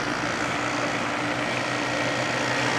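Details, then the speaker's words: December 1995 Carrier VisionAire 6050 BTU 6 A window A/C, wet after hose clean-out, restarted and throwing water: steady even hum and constant fan drone, no knocks, rattles or squeals; normal running. "shooting out the water there certainly nice and happy"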